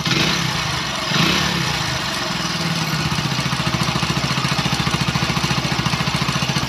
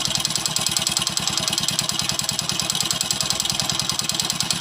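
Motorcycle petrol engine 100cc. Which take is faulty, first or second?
second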